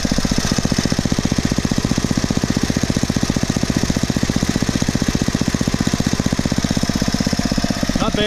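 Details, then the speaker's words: Poulan/Weed Eater VIP garden tiller, 5 HP Briggs & Stratton single-cylinder, 15+ years old, after tune-up (new plug, air filter, oil, mixture-screw adjustment), idled right down: low even putter about three beats a second, no stumbles; normal smooth idle. "and listen to that engine idle down running great that's how a 5 horsepower brakes and striding engine shuts down bble to idle it right down smooth as"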